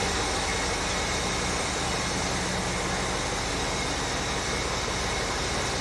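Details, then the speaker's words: 1975 Ford F100 just restarted after sitting a while: steady, unbroken idle with an even rumble, no stumbles or ticking; normal idle. "okay she started right up yeah she did runs like a cop"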